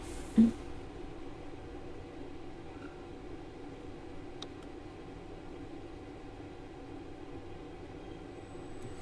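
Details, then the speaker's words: Pundmann combined diesel air heater and water heater installed in a converted van, set to 30 degrees and running at high output: steady even whirring hum with faint fan tone, no knocks; noise from high setting, normal. "Bon, vous pouvez voir, ça fait un peu de bruit quand même. Non mais parce que là c'est assez fort en. C'est assez fort. C'est pour ça que ça fait du bruit."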